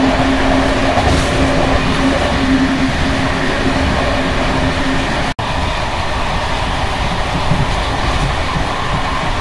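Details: Bd264 481 coach (built 1979) on worn Görlitz V bogies, long since major maintenance, uneven line 190 between Hluboká nad Vltavou and Číčenice; loud rolling roar with irregular clattering as brake rigging bounces and rattles.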